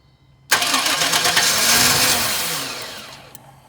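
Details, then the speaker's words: Chevy with a distributor, crank-no-start despite a new fuel pump, fuel filter, cap, rotor, battery and a cleaned MAF; spark confirmed: short starter burst that fades without catching. The cause was a security issue, and the security light never came on. "all right so still doing the same thing and we've replaced fuel pump fuel filter cap rotor we've cleaned the mass air flow still doing the same thing"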